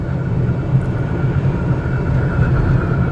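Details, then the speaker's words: Car driven slowly after a minor curb collision, steering wheel far off-center: steady road rumble with a faint constant hiss-squeal heard as the left front tire scrubbing from bad toe; power steering rack suspected. "That noise is not wind. I'm not going fast enough for that. I actually think that that's the sound of the left front tire."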